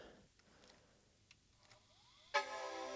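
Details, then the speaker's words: PowerBook 540c after cleaning battery-leak corrosion: faint clicks, then soft rising whir as the hard drive spins up, followed by loud startup chime and boot into Mac OS; drive works normally. "yes we get a chime hard drive spinning straight up that's good to know and yes booting into Mac"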